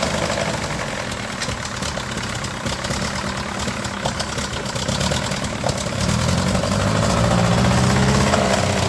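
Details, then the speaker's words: Ferguson TEA20 with the standard engine, after a valve lash and exhaust leak repair: uneven, crackling rough idle with ragged pulses about four a second; another carburetor didn't help; owner suspects it needs a valve job, and a valve spring is broken. "That Ferguson just refuses to cooperate. It don't want to run, man. That engine is in really, really, really bad shape."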